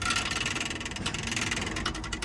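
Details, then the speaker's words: Winnebago Adventure RV rear axle with road-grime-packed, non-working brakes, wheel spun by hand; dry whir with irregular clicks and clatter, something loose or broken inside the hub, bearing pack and teardown needed to confirm: rattle in wheel hub. "Spinning this guy, there's obviously something loose or broken in there."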